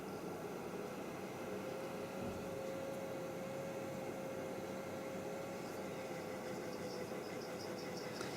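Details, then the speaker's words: Creality CR-10S 3D printer 12 V fan, bench-powered after greasing: quiet, even whir at one steady mid pitch with no ticking or scraping, even when wiggled; runs smoothly and is healthy. "this one's okay look I'm giving it the big wiggle and no problems at all I still got some grease inside it because of prevention well this really sounds good actually no problem with that whatsoever"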